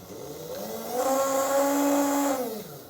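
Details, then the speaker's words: Old Tri-ang TransContinental Pacific loco motor, last serviced in September, run with wheels clear of the ground: spins up to a clean, steady high hum and winds down smoothly; motor doesn't appear to be the fault. "so it looks like you guys were right it doesn't appear to be the motor now I'm not saying that's for sure but it certainly seems to run pretty well"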